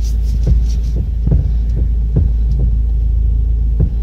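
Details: Steering column play: dull low clunks, about two per second, as the wheel is rocked; the mechanic traces the play to the worn, broken upper steering shaft universal joint.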